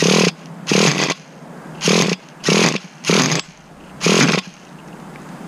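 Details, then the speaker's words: 2006 Traxxas Nitro 4-Tec 3.3 RC car, 17 years old, low-speed needle being tuned: short sharp rev bursts with a harsh raspy buzz and ragged tone between blips; rough running, cause unclear. "Why does that sound so bad?"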